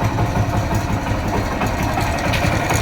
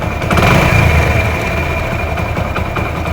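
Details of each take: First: Hero Honda Splendor Plus motorcycle, about 15–16 years old, engine freshly rebuilt with new timing chain and roller: steady idle with a fast, light metallic rattle like a loose chain, also on light revving; worn camshaft. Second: Hero Honda Splendor Plus, about 15–16 years old, rebuilt, after replacing the faulty part causing engine noise: single-cylinder idle with a rev then even steady putter, no top-end tapping or rattle; normal idle.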